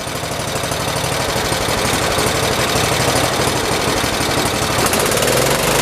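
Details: 1973 112 tractor after new points, coil, condenser and points readjustment: single-cylinder fires in a steady quick beat at fast idle, no misses or knocks; ignition working, normal running.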